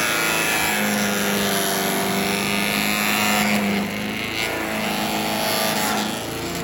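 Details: Troy-Bilt chipper/shredder, rough after carburetor reassembly but now running great, chipping branches on the second day: steady buzzing note with slight load dips but no misses or surging; normal running under load. Owner suspects rocks damaged the blades.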